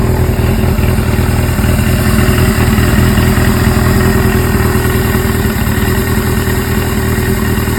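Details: Suzuki GS-series motorcycle (GS750/GS550/GS1000, CVK carburetors), follow-up on an engine noise: steady loud idle with a rough, uneven pulsing over the firing beat; abnormal engine noise at idle, source unclear.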